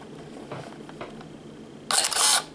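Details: Canon EOS Rebel S 35mm film SLR body in very good condition, new original battery, automatic mode: a crisp shutter snap, then a half-second whir of the film advance motor, firing cleanly; the camera works normally.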